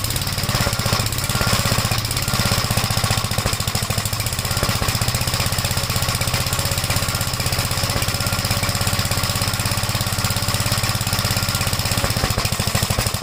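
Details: 1956 Gravely Model L single-cylinder, after choke start with throttle lowered: fast, ragged thumping with uneven beats and occasional exhaust pops. Oil-fouled plug and smoke at start; top-end/valve trouble suspected; rough running with popping.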